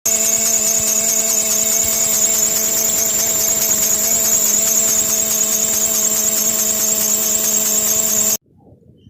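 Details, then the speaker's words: Running engine with loud, steady high-pitched accessory belt squeal; the upper tensioner pulley sits out of line with excess play, so the squeal comes from the worn tensioner pulley. "el chillido proviene de esta pelea de del tensor"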